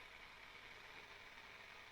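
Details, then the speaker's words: Graetz Super 171W tube radio on first power-up through a lamp limiter, drawing 750 mA at 251 V B+: faint steady hiss from the speaker at full volume with no signal; cause still unknown. "I can hear the hiss I've got 251 volts of beep plus 220 volts over there"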